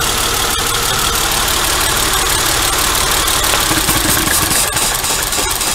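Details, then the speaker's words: 2004 Mercedes 240C V6 idling with three of six ignition coils unplugged: idle stumbles and lurches with an irregular beat yet recovers; misfire on three cylinders disabled. "there's four cylinders out of six running and it still sounds great to me only when you take half of the cylinders away does it really struggle and then it still recovers"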